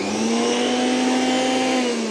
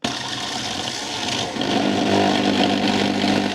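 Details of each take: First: Milex Nutri1000 1000W blender (MNM001), repaired after smoking, grinding and not spinning: motor spins up on pulse with a smooth steady hum, no grinding, easing off at the end. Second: Milex Nutri1000 1000W blender (MNM001) at power-on gives a harsh, rattling grind over a strained motor hum, vibrating, then cuts off. A part has fused onto the plastic, the rotor won't spin, and it smokes and stinks.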